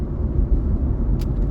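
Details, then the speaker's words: C6 convertible with LS2, driving after balancer work ended a constant squeak: deep steady rumble, smooth and even, no squeak or chirp; engine healthy. "but uh man it's running great this LS2 in here is so smooth"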